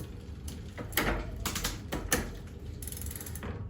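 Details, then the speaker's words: Specialized Fat Boy fat bike after straightening the bent derailleur hanger and adjusting the barrel adjuster: light freewheel ticking, crisp shift clicks, quiet chain; drivetrain running and shifting cleanly. "seems to be working good now"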